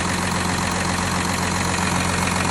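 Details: VW Touareg 3.0 TDI (CRCA) diesel, cold start: steady cold idle with a hard, even knocking rattle riding over the idle beat; cold-start engine knock, cause not yet pinned down.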